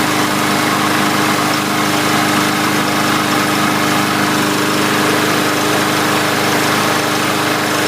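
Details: 2017 MTD push mower with Briggs engine after cleaning debris from breather tube and new air filter cover, second start: single-cylinder engine holds a smooth, even buzz without misses or surging; normal running.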